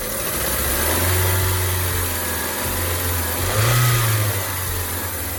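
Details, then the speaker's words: 1999 Hyundai Elantra after a timing belt replacement, started to idle. A steady, even low hum with no knocks, ticks or misses; the engine runs smoothly and is healthy. "Alright, now we're going to start it up one last time, and we're going to let it idle for probably about an hour and let it clear itself out."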